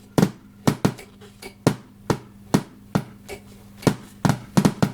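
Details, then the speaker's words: JVC VN-300 amplifier connected to service speakers with no input signal: loud irregular pops and crackles over a faint low hum. Later the volume potentiometer was replaced and a missing ground on one of its channels was found. "Już słyszę lekkie buczenie minimalne, ale o zobaczcie co tu się dzieje. Dodam tylko, że jeszcze sygnału audio w ogóle nie podłączyłem do wejść liniowych, także coś takiego jest. O, jest faktycznie głośny trzask."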